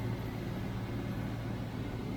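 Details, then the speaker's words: 1993 Range Rover LSE V8 after an oil change, warmed to temperature: smooth even idle with no tappet tapping, though a tap later returns at one rear hydraulic tappet (old oil or preload suspected); normal idle. "I It's sounds great now. Look, not a tap there, but I don't want it like that. And that's now warmed up to temperature now."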